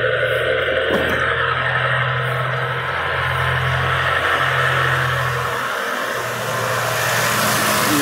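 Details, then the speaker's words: Worn right front hub bearing (wheel bearing) on a 2003 Chrysler Town & Country (same as Voyager/Caravan), car on a lift: steady low droning hum at one pitch, located to the right front wheel with a chassis-ear stethoscope; the hub bearing is being replaced. "Pero prácticamente nuestro ruido está en el canal, o más bien en la llanta, se puede decir que en la llanta derecha, amigos."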